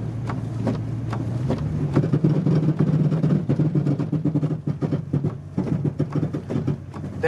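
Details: Truck with a newly installed Silverado transfer case, in 4-Hi doing slow tight U-turns. Rapid irregular clunks and ticks over a low engine hum; the front end is the likely suspect, and the owner is not convinced it's the transfer case.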